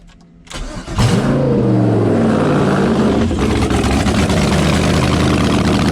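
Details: LS V8-swapped Jaguar XJ-S, restarted after first start, no headers, open ports: starter whirs, engine catches and blips, then settles into very loud steady even rumble; runs healthy.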